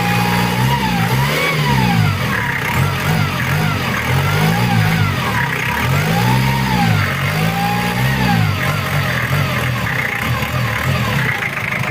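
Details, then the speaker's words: Mitsubishi Challenger 4M40 diesel after repair of rough idle: revs rise and fall smoothly with an even beat, no knocks or rattles; now smooth and quiet. "Udah enak lor, daripada yang kemarin datang. Ini udah halus, udah adem suaranya juga."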